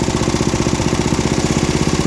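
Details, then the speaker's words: About 50-year-old MTD ride-on mower single-cylinder engine, burns oil: loud, slightly uneven thump picking up speed as pulled worn carb butterfly shaft admits unmetered air both sides; vacuum leak at throttle shaft. "Pull out on the shaft a bit. That's unmetered air going through both sides of this butterfly shaft."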